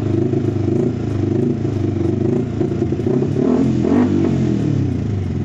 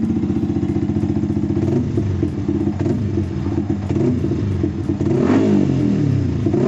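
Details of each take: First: Fuel-injected motorcycle with a clogged fuel injector: lumpy idle, and on throttle the revs rise hesitantly and sag, stalling after high-rpm use. It is also hard to start. Engine stumbling on throttle. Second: Motorcycle after injector cleaning, previously hard to start and stalling on throttle; starts right away, even idle, then crisp throttle blips rising and falling smoothly without stumbling; normal revving.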